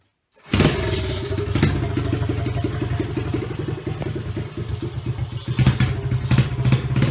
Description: It runs and it turns out its a 2005 CRF 50 frame with a 125cc lifan engine!